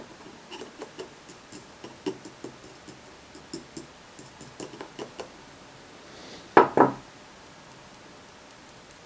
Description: Iphone 5s with loose power button giving rattling noise when touchpad is used.